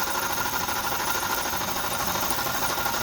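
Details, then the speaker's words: Idling GMC Yukon, model year given as '02, on a cold day of about 15°: steady rough whirring with a faint ringing and no deep knock. A dealer blamed the rods; the owner suspects a worn alternator bearing and is swapping the alternator. "I'm thinking it's the [Music] alternator let's swap this out and see what happen"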